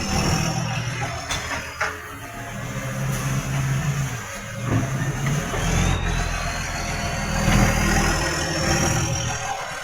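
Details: Tweed garbage truck 3218 with a massive exhaust leak: a loud, raspy diesel roar with a coarse puffing rattle that rises as the revs climb.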